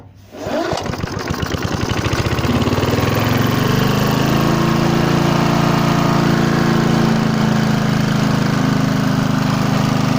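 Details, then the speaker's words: Hayter Hayterette lawn mower, old Briggs and Stratton engine with a governor arm: fires and climbs straight to a fast steady drone and won't tick over unless the governor arm is held by finger; cause suspected, not confirmed. "It won't tick over either. If I put my finger on, it will tick over. If I let it go, it won't."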